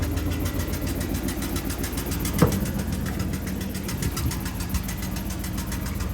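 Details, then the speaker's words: Box Chevy Landau (two-door Caprice) engine idling with a steady rumble and faint repeating tick; source unclear, owner suspects flywheel or power steering area; abnormal noise at idle. "Wonder what that sound is. Yeah, it's coming from the motor, sound like."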